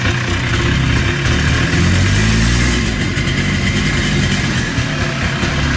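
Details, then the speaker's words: Polaris Trail Boss 250 two-stroke ATV (titled 2000, owner guesses 1988 or 1992), running outdoors in cold weather after carburetor work. Steady, even burble with no stumbling or misfire. Runs properly now. "okay well she's all done we got her Rave back to life I was surprised about that carburetor that it was going to do it"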